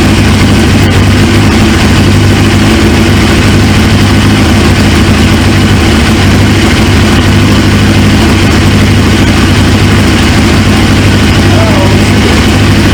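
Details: 1999 Suzuki GSX-R 750 with a newly installed used engine, running after fuel pressure built: loud, steady, even idle with a low drone and no misses or knocks; healthy engine, but a fuel leak at the tank quick-connect is suspected to be an O-ring.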